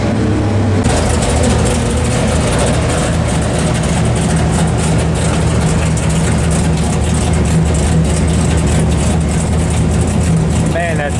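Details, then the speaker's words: 451 stroker Mopar big block (1976 400 block) for 1973 Dodge Charger, Edelbrock Performer RPM aluminum heads, Sniper EFI cleaning up lean spots, dyno pull; loud deep even roar under load, no misfire or knock; normal full-load run. "that sounds good. Nothing against the modern cars. I love me some Coyotes, some Hellcats, LS's. I do. But there's something visceral that gets down in your soul about how the old stuff sounds."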